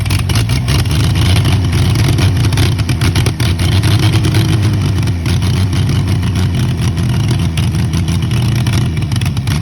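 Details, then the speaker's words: Early-1940s Chevy 216 inline-six, out of a vehicle 40+ years, run with ether assist: deep, steady rumble rising and falling smoothly with revs, no knocks or misses; it started and runs. "oh that's just incredible you guys sorry I gotta admit I am absolutely speechless that that junk started"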